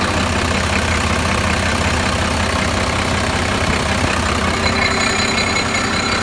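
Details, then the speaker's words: Cheap 12-valve Cummins diesel started after sitting about a year: loud steady clatter at idle with rough, uneven huffing underneath, like heavy blow-by puffing from the crankcase; excessive crankcase blow-by. "Hear it blow by? I don't know if I stopped."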